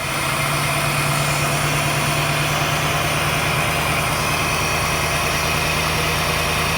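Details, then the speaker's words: 1989 Pontiac Firebird Formula, sat 17 years, now running better but holding a steady high idle with constant hum; no coolant in system, vacuum leak suspected. "ah she running a lot better idling kind of high"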